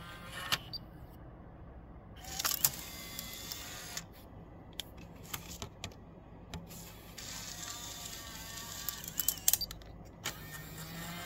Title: Pioneer KEH-P9700R noisy eject and face down noisy